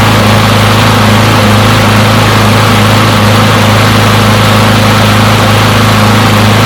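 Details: Push mower, non-running after sitting a long time, finally started and left running to warm up: loud, even drone with steady low beat, no misses or surging; runs pretty good.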